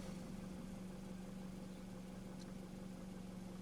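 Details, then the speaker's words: 2014 Chevrolet Cruze 1.8 L with P0496 code, after the fix: quiet, even four-cylinder idle with steady low hum, no misfire; the repaired device can be heard clicking, duty cycle thought to be about 14%, healthy. "before we shut the hood you can actually kind of hear it clicking now if you feel it opening in and out or you know opening and closing really quick"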